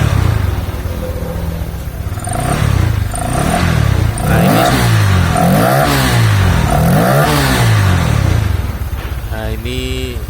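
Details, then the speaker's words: Honda Vario scooter after the crankshaft was tapped to the right to cure a snoring growl under throttle (CVT checked fine): revs rise and fall in smooth swells with a clean note and no growl. "e ngoroknya sudah hilang teman-teman saat ditarik gas ya"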